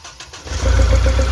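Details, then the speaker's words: Diesel Mahindra Xylo, injectors being swapped between cylinders (injector suspected): cranks, catches, then lumpy uneven idle with slight jerking, less than after the previous swap but original jerk remains; misfire cause not yet confirmed. "দেখুন, আগেও যা jerking ছিল, আগে যেমনি jerking বেড়ে গেছিলো, এখন জার্কিংটা কমে গেল, কিন্তু প্রথমে যে জার্কিং ছিল সেই জার্কিং আছে।"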